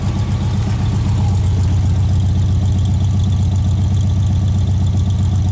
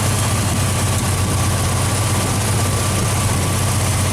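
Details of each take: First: Straight six after swapping Pertronix back to points set at 0.022 in, timing 10 degrees initial, centrifugal and vacuum advance working: steady even smooth idle, no misses or ticks. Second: Straight-six engine recently switched back from Pertronix to old points ignition, idling with deep steady rumble and faint loose puffing tap from exhaust manifold leak at center cylinder, possibly blown gasket; tightening planned.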